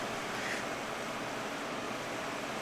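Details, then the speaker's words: All-metal China-made fan, recently fixed by owner, first start of the season: smooth, even rush of air with no ticking, rubbing or wobble, running quietly and normally. "it does work rather well and it's a nice thing to have here just for some airflow while i'm trying to sleep"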